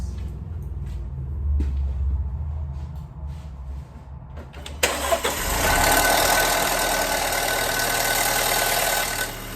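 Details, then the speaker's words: Audi B7 2.0T started after an oil and filter change with oil extracted, engine still near operating temperature; catches after about five seconds into a busy idle with fast light ticking and clacking, lifters running dry. "did you hear that old girl clicking and clacking and howling and hollering"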